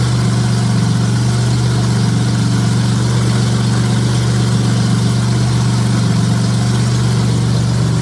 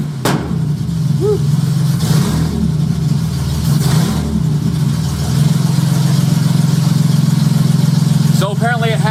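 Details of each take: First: J35 engine (about 183,000 miles) swapped into a Subaru Baja, warm idle on a cool fall day; steady, even low hum with a fan in the background, no knocks or ticks. Oil pressure about 60 psi, coolant near 150, compression modest, radiator struggling. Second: J35 engine swapped into a Subaru Baja at start-up, AEM Infinity ECU untuned; blips rise and chop off sharply at the 2000 rpm rev limiter each time, an ignition cut. Lambda about 0.9, slightly rich.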